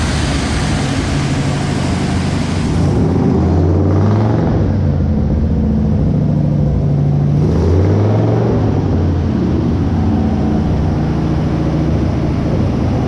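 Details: 1956 Ford Fairlane, first start in 35 years after carburetor rebuild: big V8 settles into a steady, even low rumble with regular beat, no knocks or misses, running clean.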